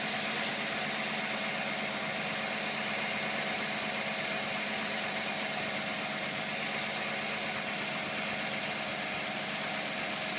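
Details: G35 idling engine with a harsh, high chirping, buzzing, rattling grind repeating about three times a second from the engine bay; cause unknown.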